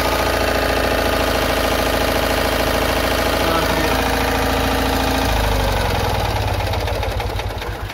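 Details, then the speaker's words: Citroën Ami 8 twin at warm idle, no fan fitted: uneven, stumbling beat with heavy ignition misfires before ignition cut; points sparking heavily, weak plug spark, owner suspects a faulty ignition condenser. "Donc là voilà, on a pu voir que le condensateur déconne. Qu'il y a des gros ratés d'allumage aussi."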